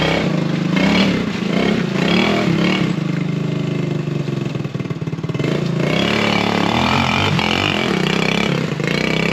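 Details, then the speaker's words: Off-road buggy after carburettor tuning to cure backfiring: the engine revs and settles repeatedly with a rough, loud exhaust but no pops or stalls. It now runs well at low speed, under 20 km/h; normal running, no backfiring. "Mais là pour l'instant il pétarde plus comme il faisait. Il roule plutôt bien."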